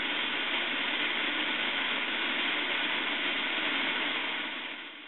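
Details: CAIRE liquid oxygen portable filling from a CAIRE reservoir with vent valve held open: steady, even gas hiss of normal filling, before the sputtering and dense vapor that signal a full tank.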